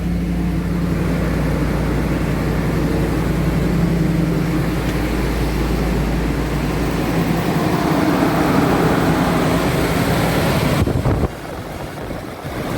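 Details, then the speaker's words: 2009 Jeep Grand Cherokee with no-crank/no-start complaint: steady low engine rumble about eleven seconds then abrupt stall, confirming the fault; a problem in the circuit. "se apagó señores la falla está confirmada a kleiber hay un problema en el circuito"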